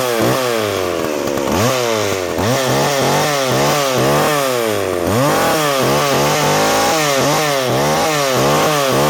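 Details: McCulloch Pro Mac 610 chainsaw, old two-stroke, greasy and not run for years, chain seized and clutch needing work: loud raspy buzz blipping up and down, catching and revving freely; running normally again.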